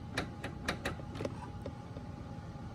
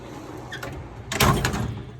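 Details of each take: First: Harbor Freight US General 44-inch tool box drawer being lifted. Its slide rail isn't fastened to the drawer and flops around, giving scattered, irregular light clicks and ticks. The fix is adding rivets to secure the slide, after which it is tight. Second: US General tool box drawer before the rivet modification. One quick, even rolling slide with a soft stop and no squeak or grinding; the drawer already slides nicely.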